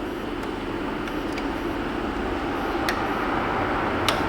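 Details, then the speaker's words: 1999 Chevy Suburban with the 5.7 V8 cranks but won't start. The fuel pump relay is clicking with sharp, sparse clicks over a steady hiss and no pump hum follows. The load side is known good, so the new relay is faulty. "Isn't that going to be some funny stuff if it's just a brand new relay? That's bad cuz this relay is clicking."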